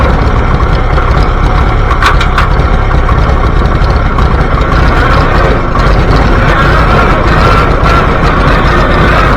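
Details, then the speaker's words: Antique Farmall B tractor, hot, driven outside: loud rough running with occasional stumbles; failing ignition coil losing spark, fixed by replacing the coil. "It's starting that same crap that I was doing with the spark earlier. Alright, I'm not taking it any further outside. Let's get that coil switched over and see how it runs."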